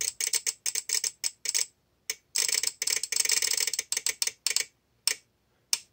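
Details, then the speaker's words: Bench test of a VXT-24 boiler feed controller relay at 24 volts, water dripped on the manual feed switch: bursts of rapid, uneven clicking that stop and start; the wet switch shorts intermittently, causing erratic relay chatter and a flooded steam boiler. "i'm going to put a little bit of water in there see if that will make it work so as this goes on what what will happen is this will start to count"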